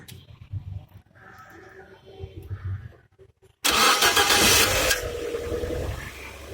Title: Linea TJet : screeching noise from right side on cold start